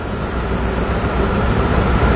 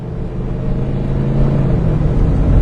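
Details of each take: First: 2002 Ford: rough, uneven idle from a huge vacuum leak; short-term fuel trims swing strongly negative then back positive while O2 sensors read pegged lean, unable to correct. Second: 2002 Ford after EGR valve replacement, the only change made, following a rough idle and hesitation: while driving, the engine swells cleanly on throttle and eases back with no stumble, responding immediately to the pedal. Normal acceleration, though the long-term fuel trims remain unexplained.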